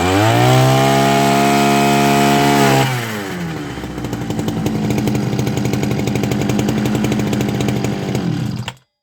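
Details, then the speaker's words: Zomax ZMB 305 two-stroke brush cutter after repair (new gearbox, cleaning, thread repair, filter, spark plug): steady high rev, clean even idle, then shut off; runs well. "Працює досить непогано."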